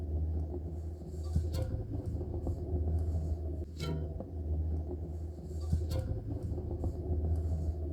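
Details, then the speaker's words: Bicycle rear hub, chain removed, microphone held to frame while wheel spins: low droning rumble with faint regular catching, rough bearing needing inspection of cones and cups. "좀 걸리는 듯한 소리가 나죠 아니면은 휠 자체를 양손에 대학의 올려놓고 돌렸을 때 그 진동이 손에 느껴 지게 되요"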